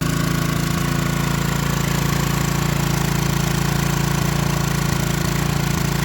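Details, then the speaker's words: Free Troy-Bilt pressure washer small engine just started on fresh gas, throttle on fast: single-cylinder thumping about three beats a second with uneven hits, rough running; owner says it will need a carburetor rebuild. "Well, I can guarantee you she's gonna need a carburetor rebuilt, but I believe this is gonna be suffice for what I'm fixing to do."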